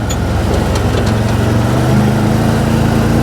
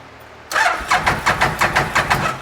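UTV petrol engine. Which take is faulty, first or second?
second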